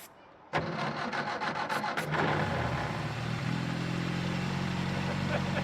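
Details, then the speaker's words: Austin A30 after restoration and being reassembled, first start after 6 months with choke out and a squirt of fuel: brief cranking, then it catches immediately and settles to a steady, even idle hum with no misses; healthy cold start. "She's purring like a beauty. Yeah. Sounds good. Oh yeah. Sounds nice."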